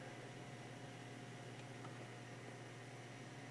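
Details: PC case vibration: quiet steady low hum with a faint higher whine, no rhythm; vibration felt when touching the motherboard, owner suspects the motherboard, power supply seems fine; not confirmed.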